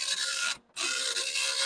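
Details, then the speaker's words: Commodore 1526 serial dot matrix printer self-test after head gap moved forward again; dense even raspy buzz with brief mid-line pause, sounds different from before; printing normally. "and it you can hear it sounds a different CU it do seem to be doing its thing"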